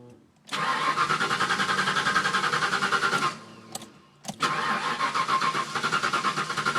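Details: Engine cranking slowly and long with no clean catch, two bouts of sluggish pulses about three a second, hot or cold, with idle surge after start; fuel pump tested barely working, battery already replaced, new pump fixed it.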